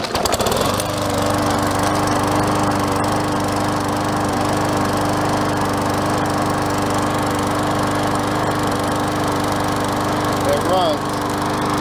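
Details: MTD Yard Machines self-propelled mower with auto choke, after refitting slipped transmission belt, oil change (overfilled, dirty oil) and air filter cleaning; catches quickly, steady even drone, no surging; running well.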